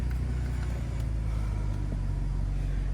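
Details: A 2000 BMW 323ci E46 five-speed, bought at an impound auction, fires right up on a freshly installed battery. It settles into a steady, even low six-cylinder rumble with no knocks or misses, idling smoothly.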